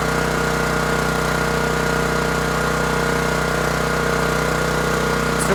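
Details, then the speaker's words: New Champion 7500 watt dual-fuel generator on first run after setup, heard from about 10 feet: steady, even, moderately loud hum at constant pitch, no knocks or surging; normal running. "We'll check the oil, and the sound you're hearing is from approximately 10 feet away. Not super loud, but it's also not the quietest."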